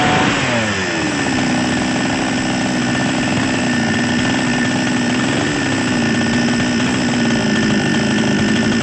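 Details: Small Chinese two-stroke chainsaw after repair of a hard-starting fault: steady, high-pitched buzz holding even speed with one brief rise midway; runs smoothly, fault traced to a split part that was replaced.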